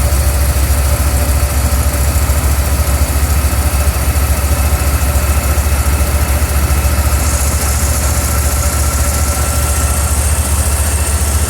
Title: '81 Ford 300 smooth, then misfire